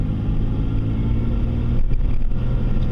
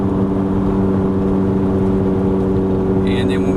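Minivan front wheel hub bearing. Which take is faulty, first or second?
second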